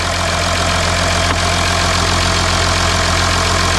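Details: Audi Q7 3.0L TDI after engine oil cooler replacement, no dash warning light: even diesel clatter at a steady idle, constant level with no misses, knocks or whine; engine running great, no leaks. Normal idle.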